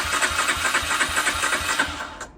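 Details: 2004 Honda CG125 barn find, unrun for years, choke on: steady fast starter churn with even compression pulses and no catch or firing before it stops; the engine cranks but won't start.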